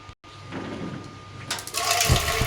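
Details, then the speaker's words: Gas geyser backfiring: water rushes, then a sudden whoosh and a deep thump as the burner lights late, with flame shooting out. Suggested possible cause is dust or carbon buildup on the burner restricting gas flow; repair to follow. "यह देखो दोस्तों कितनी भयंकर तरीके से ना आवाज आ रही है और लुक बिल्कुल बाहर आ रही है"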